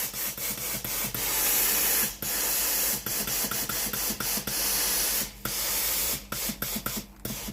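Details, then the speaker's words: Philips PSG8160 steam iron, boiler system checked and heating, steam button pressed: crisp, strong, even bursts of steam hiss come and go with the trigger. Steam output is normal; the original fault was the boiler heating element. "thoát ra bình thường."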